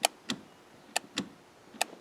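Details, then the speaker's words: Range Rover shift interlock solenoid, foot on brake pedal: sharp clicks in pairs about a quarter second apart repeating roughly every 0.85 s as the solenoid pin jams; shifter moved without pedal; binding shift interlock solenoid. "there's a pin just in here that's the solenoid when I hit it but it's jammed up"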